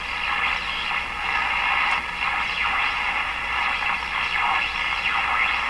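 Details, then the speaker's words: Electrohome PK-104 five-tube AM clock radio, unrestored: hissy station noise with a high heterodyne whistle sweeping down to zero as a station is tuned in; owner believes failing capacitors are the cause. "you can hear that there's a heterodyne as i tune in there's a heterodyne pitch it's fairly high now it goes down to zero as i get it tuned in"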